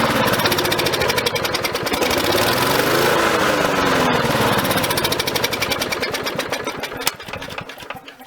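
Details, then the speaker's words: Long-stored Victa 375 lawnmower runs briefly only on primer-bulb fuel: rapid popping firing rises, then slows and dies within seconds. Oil pours from the muffler; owner suspects too little fuel passing through the carburettor and plans to strip it. "Okay, well that's the longest we've had it running yet, but it's only running on the primer bulb."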